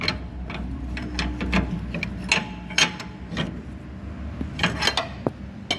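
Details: Chevrolet Cruze suspension noise as the car is driven and steered to one side and then the other under force: irregular creaks, clicks and rubbing scrapes.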